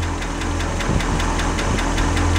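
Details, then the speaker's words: International 345 V8, freshly rebuilt, at idle: quick, even ticking about five per second over a steady idle; noisy lifter, later addressed with a new set of lifters. "sounds like a lifter so i'm not done i can't put the hood on can't do much else until i figure that out"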